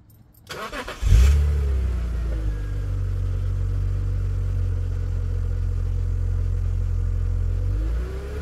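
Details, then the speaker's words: BMW E46 3 Series after fuel pump replacement, final start: engine catches after a short crank and settles into a smooth, even idle with a steady low hum and no knocks; ran 30 minutes with no problem. "and turning the engine on one more time just to make sure my car doesn't catch on fire with all that gas I spilled"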